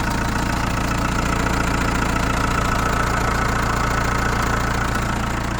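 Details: Chrysler Voyager 2.8 CRD diesel, cold start after sitting a couple of months: a steady, regular knock of about three and a half per second over the diesel clatter at cold idle. Cause not pinned down.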